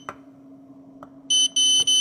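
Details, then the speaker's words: 48 V e-bike charger after fitting new 5.1 V zener: faint clicks then three quick continuity beeps; zener blew again instantly because a 7.5K resistor had been replaced with 0.5 Ω; restoring 7.5K fixed it, 55.2 V output. "这里咋又短路了？该不会这边这个稳压管又击穿了吧？兄弟们，果然啊，这边这个稳压管往上一换，立马就击穿，还是有问题啊！"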